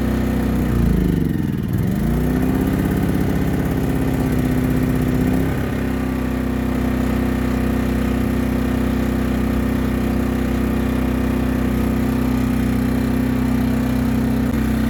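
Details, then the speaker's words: Hyundai 2200 W inverter generator, 80cc 2.7 hp gasoline engine, first start, in eco mode, rated 56 dB; catches, surges briefly, then settles into a smooth, even low hum. Normal idle. "one nice thing about these small generators it's rated at 56 decibels for the noise level so you can actually have a conversation with somebody with this running on the front of it"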